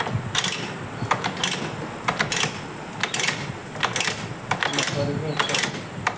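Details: Motorcycle after oil pump gear replacement, clutch cover refitted, first start after kicking to circulate oil: quick light metallic valve-gear ticking in steady bursts over a soft engine note as fresh oil reaches the head.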